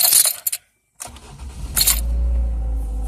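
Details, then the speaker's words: 2007 Ford Focus SE, 129,910 miles, 4-speed automatic, started on a hot day: after a jingle of keys it cranks briefly, fires right up, and settles into a steady, even low idle. Normal, healthy start. "Fires right up."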